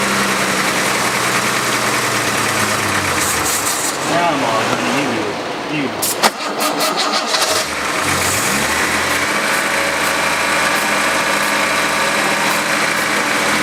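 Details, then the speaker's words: 1970 Jaguar E-type coupe after sitting about four and a half years, in neutral with clutch pressed to quiet a driveshaft noise: engine runs evenly, dips briefly midway, then settles to a clean idle; good oil pressure, sounds healthy. "sounding good sounds great i really like it good oil pressure"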